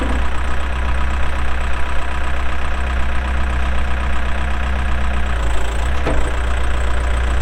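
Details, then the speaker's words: 2007 Case 580M Series 2 backhoe, 4WD, Extendahoe, pre-emissions diesel, 3,812 hours: deep, steady diesel rumble, even firing, no knocks or misses, holding speed under load; runs good, hydraulics strong, normal healthy running. "3,812 hours on a working hour meter starts up and runs good Hydraulics are strong"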